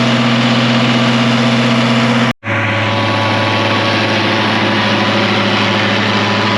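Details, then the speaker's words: 1966 IH 1206 Wheatland diesel tractor on dyno after head gasket repair, warm, throttled back from 75% load to cool down; steady drone with brief dropout, then smooth consistent running; normal partial-load running. "we're doing good let's go take some St off here that's Full Throttle about 75% load"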